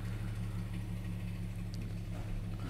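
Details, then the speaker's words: 2013 BMW 3 Series F30 N55 with hard start and stalling, codes 1F1A91 and 119404: low steady idle with faint uneven pulse barely holding on, then dies when shifted into reverse and won't restart; 5 V sensor reference fault. "en realidad no como tan pronto como lo puse en reversa esta cosa murió en mi bien, no puedo hacer que esto comience ahora"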